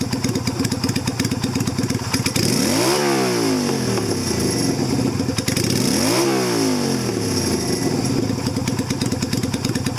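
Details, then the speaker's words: 2000 Yamaha Virago XV250, cold, carb slide and spring returned to stock (rejetted, aftermarket air cleaner and exhaust): steady idle, picks up cleanly through two blips and drops back smoothly; running perfectly. "Back to stock, running perfectly. So I do not recommend the slide, hole, or the cut spring. I think it works perfect just the way it is."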